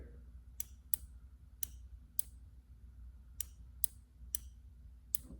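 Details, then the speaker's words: Side-by-side off-road vehicle kill-switch install, fuel/start relay bench-tested with terminal 86 positive and 85 grounded; crisp sharp clicks each time the coil is switched: relay pulls in normally. "what we're really going to look for here is a click and this relay should click when we connect these circuits"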